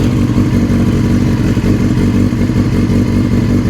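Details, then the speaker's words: Yamaha R6 5EB with suspected gearbox fault (jumps out of second on road) and loose chain: dull uneven clatter over steady low beat at start-up that fades away; start-up rattle, engine and chain noise noted, cause not pinned down. "It's gone now, with that clattery rattling noise."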